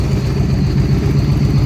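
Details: 2013 Victory Cross Country supercharged V-twin after the plug, coil and front plug wire fixes: steady even low rumble on both cylinders with a faint supercharger whir on top, a normal smooth idle.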